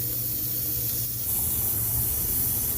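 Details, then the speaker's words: HVAC unit charged with a little R22: steady hiss of refrigerant spewing out under pressure over a low hum, audible before the leak was spotted at the back of the circuit; refrigerant leak. "soon as I put refrigerant into this system, it started spewing out from somewhere."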